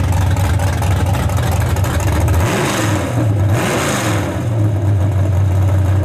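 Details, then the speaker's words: Engine after fixing a voltage problem: deep burble climbs cleanly through a hard rev to high rpm and settles back with no crackle or stumble; crackle cured by correcting voltage. "Got rid of the crackle. It now it's running so good. Yeah. All the way up in the RPM, you can hear it way up through there."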